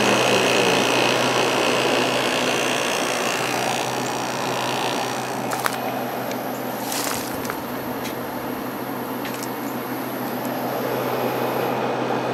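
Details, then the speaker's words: Vintage Kenmore (Whirlpool) window air conditioner, about 5,000–6,000 BTU, rotary compressor judged by sound to be a Matsushita, on low on a warm day: steady low compressor hum under smooth fan rush, no rattles or cycling; very quiet, already blowing cold, normal. "Kind of sounds like a Matsushita compressor, so I'm guessing that's what it is. This thing has not been running that long and it's already cold, so that's pretty impressive."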